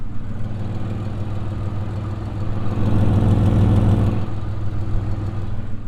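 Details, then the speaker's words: Pontiac Firebird, about 158,786 miles: low, steady idle with a faint puffing, staticky tick about three per second and a loud rear note. It is an exhaust leak somewhere underneath, possibly at the catalytic converter (unconfirmed). "there's an exhaust leak on somewhere because i hear the static of an exhaust leak"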